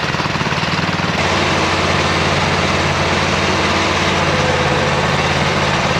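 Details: 26 HP Kohler V-twin mowing tractor pulling with a lumpy, stumbling rhythm and a missing beat, running on one cylinder. This is the long intermittent misfire from a failed ignition coil.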